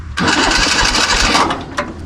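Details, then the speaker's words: 1970s Kubota L1500 two-cylinder diesel tractor abandoned about 20 years, jump-started: starter spins the engine quickly and evenly without firing; cranks freely, no start, compression seems low. "It spins over nice. Doesn't seem like it has much compression, though."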